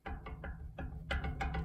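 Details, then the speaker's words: 1980s Super dehumidifier fan motor rocked by hand: dull clicks about three per second as the shaft moves up and down in badly worn bushings; when powered it sticks in one spot and the fan barely works, so a replacement motor is planned. "that's the motor shaft moving up and down in the bushing so it's very badly worn and when you power it up it kind of gets stuck in one spot even though it seems like it's free but the bearings are shot"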